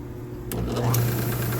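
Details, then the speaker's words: Old buffing wheel arbour after machining a new shaft and hand-scraping the bushings, previously very loud: spins up quickly to a steady smooth low hum with no knocking or rumble; normal running after repair. "I can actually carry on a conversation while that thing's running now so anyway good for another 41 years"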